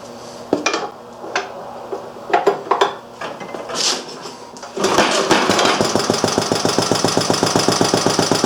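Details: Restored Briggs & Stratton Model A engine, with an inline fuel filter added (no sediment bowl, tank had gooey deposits), on the bench: after some bench clatter it catches and settles into quick, even firing pops with no misses; running healthy.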